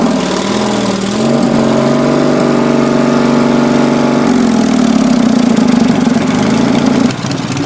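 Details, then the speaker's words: Racing Panzer small engine after carburetor cleaning, fuel line reconnected before fuel pump install: catches, runs unevenly for seconds, then dies; carburetor needs positive fuel pressure, so a fuel pump is being fitted. "it does still five-count under a load so I'd say it's safe to say this car burgers each positive pressure to run"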